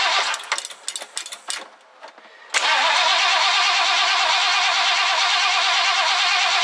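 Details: 1969 Ford Econoline van, last run date unknown, being revived: after reassembly, the throttle return spring refitted and fuel primed, several cranking bursts, then it catches and settles into an even, steady run with no misses or knocks; it starts and runs fine.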